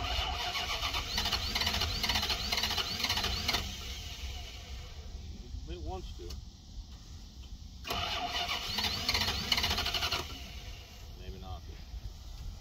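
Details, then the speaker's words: 1990 Dodge Ramcharger 2WD, sat in a junkyard since about 2014, new battery, after a small engine fire: steady cranking for several seconds, pause, cranks again, never fires; owner suspects no fuel from the fuel pump and bad old gas. "probably got a lot of bad gas in it too but trying"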